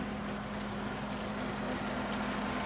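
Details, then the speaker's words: TOS FO-6 mechanical gear hobbing machine (6 module, 600 mm): downward feed travel of the hobbing head engaged with dial indicator on it; steady even low hum, no knocks or grinding. Normal feed drive. "The downward feed travel of the hobbing head can be seen."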